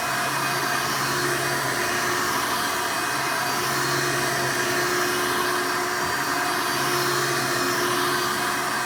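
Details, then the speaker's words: Hoover Elite vacuum after motor replacement: steady, even motor whine with constant airflow hiss, no rattles or pitch drops; sounds and sucks much better. "Not only does the machine sound better, but it performs as a vacuum a lot better."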